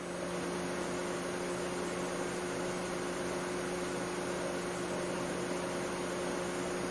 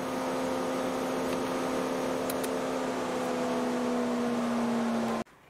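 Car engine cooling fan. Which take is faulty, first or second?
second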